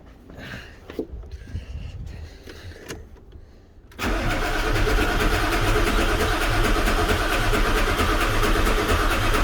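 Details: Ford 7.3 Powerstroke diesel auction truck, cranked with no key via the column switch and a fuel pressure gauge fitted, with fuel confirmed. The starter turns it over at a steady beat of about four a second, but it never catches.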